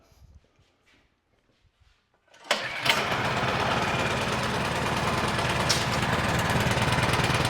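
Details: Craftsman Select 26 snow blower, 675-WUB engine, choke on, primed three times, throttle mid: few pulls, catches and settles into a steady even half-throttle run; starts and runs properly.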